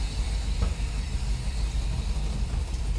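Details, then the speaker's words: Ford OBS Bronco just fired cold after wiring modifications, not yet warmed up: ragged, uneven idle that won't settle, idle air control motor audibly hunting, IAC steps reading 225 against a wanted 3–10; rough cold idle. "You hear the idle air control motor slowing down? That sucking sound that some of you in the comments are just gonna say, well, that's a Ford sucking."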